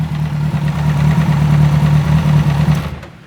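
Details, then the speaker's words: Kawasaki Z1000 with an internal engine noise: after the ignition timing, which was out, was corrected, it runs much better, but the uneven mechanical noise under the steady revving drone persists. Damaged parts were found. "Colocamos no ponto, percebemos que o funcionamento da moto melhorou muito, porque estava fora de ponto, porém o barulho não para."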